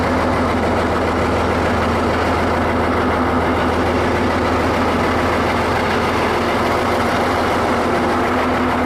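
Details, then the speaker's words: Ford 8600 diesel tractor under restoration, left running: steady drone with a constant, horrendous rough mechanical roar from under the floor. Drivetrain noise, cause unclear. "That little bit I left it running, there's a horrendous noise coming out from under the floor now. That noise I was telling you that makes it now move."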